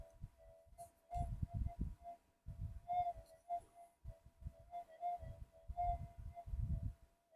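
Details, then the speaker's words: Minelab GPX-5000 metal detector after frequency scan, normal timings: threshold throws short irregular mid-pitched chirps over low thumps instead of steady hum; unstable and noisy, these 5000s noisier than 4500s. "I always said these 5s are more noisy than the 45s. You can probably tell. Okay, we've done a frequency scan. Let's listen. It's chirpy as hell."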